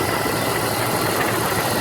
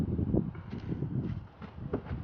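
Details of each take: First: 1996 Jeep Grand Cherokee idling after replacing the power steering pump reservoir, belt tensioned by feel and refilled; sounded crazy at first start, improved after a drive: steady even idle under hiss, no knocks or misses; running normally. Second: 1996 Jeep Grand Cherokee after replacing power steering pump reservoir, belt reinstalled and fluid added: a few clicks, then on starting a loud, harsh hiss and whine over the idle; sounded bad at start-up but improved after driving.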